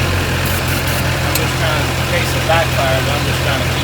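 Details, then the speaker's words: Chevy ramp truck running after a new distributor was fitted (module and coil tested earlier), jump-started, no throttle cable; steady, even idle with no knocks or misses. "so we finally got this beast running last night we had to put a new distributor in there"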